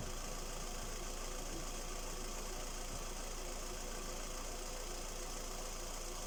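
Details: Skoda Rapid 1.6 CFNA 105 hp petrol engine at idle: fast, fairly regular light knock about four per second over the engine hum; owner asks what is knocking, source not pinned down.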